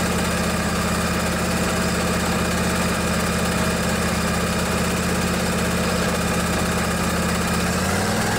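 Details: Craftsman DYS 4500 riding mower, 24 HP Briggs & Stratton Intek twin, after storage and a full service with the fuel tank cleaned and the carburetor refilled. Steady, even thrum at constant speed with no skips or knocks, dipping slightly at the end; running healthy.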